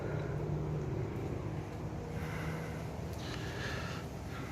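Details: Honda Civic EP3 K20A3 petrol four idling after new spark plugs and coils to fix ignition misfire: steady low rumble, even beat, no stumble; healthy.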